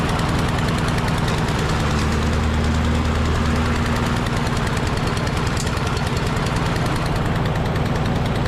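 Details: Husqvarna LC 221A push mower with a Briggs and Stratton engine, which sat over winter and would not start, after its carburetor was cleaned: loud, steady rapid firing at about three beats a second holds an even rhythm with no stumbling or surging. Normal running.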